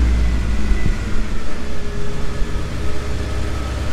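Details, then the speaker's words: 1990 Mercedes C126 560 SEC, Euro-spec AMG car, after cleaning and freeing a sticking idle part: fires and drops into a low, steady, smooth cold idle around 1000 rpm without hunting or surging. "yeah i think that did it idol is nice and smooth let's take a look at a thousand rpm should drop down once the car warms up but yeah it's it's already better fans not running on high speed"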